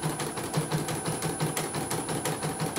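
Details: CNY embroidery machine after repair from a total-dead fault and readjusting a setting that was too close, which had caused a krek-krek noise: stitches with an even light ticking, about six stitches a second, no stray knocks.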